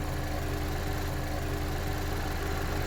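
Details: 2010 Chevy Equinox, about 112K miles, warmed up after Seafoam ring cleaning, possibly overfilled with oil: steady, even idle with constant low thrum and airy hiss, no knocks or misses, no more blow-by; normal warm idle.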